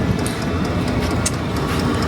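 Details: Hcalory diesel heater running normally on a 12-to-220 V converter with half a tank of diesel: soft, slightly uneven fuel pump ticks a couple of times a second over a steady fan rush while it blows hot air.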